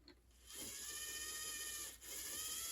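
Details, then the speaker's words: Bachmann track inspector car (possibly EM1) HO scale, missing its traction tires, under power: thin high strained motor whine that never picks up speed, bogged down but the motor turns over. "And it sounds like my suspicion was right. It seems a little bit bogged down, but the motor definitely turns over, and it really doesn't sound that awful for one of these."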